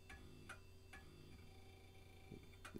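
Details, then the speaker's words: Vintage 90s Packard Bell A940-TWR desktop (Pentium MMX), thrift store find, first power-up with no video; sharp irregular ticks about every half second over a steady hum: old hard drive clicking, not sounding happy. "that hard drive does not sound happy come on you can do it i believe in you"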